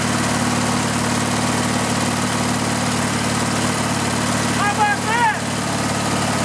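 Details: Riding lawn mower engine with the gas tank bypassed and fuel fed directly to the carburetor: even, steady idle with a constant low thrum, no stumbling or surging; engine fine, so the fault is a restriction in the fuel line or tank.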